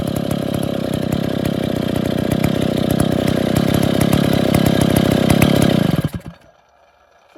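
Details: Stihl 070 chainsaw, two-stroke, first start after rebuilding the bottom end and setting crankshaft axial play, with new seal; choke and clutch still need fixing. Loud, steady two-stroke rattle runs evenly about six seconds, then shuts off cleanly: normal running.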